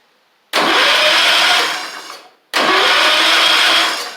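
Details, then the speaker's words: 1985 Wheel Horse 312-8 garden tractor revived after years sitting, reassembled but no spark, owner suspects points: two cranking bursts of about a second and a half, starter spins but engine never catches, crank no-start with no spark. "so got it all back together unfortunately we don't have any spark so it's probably points related and I think I have a set of points"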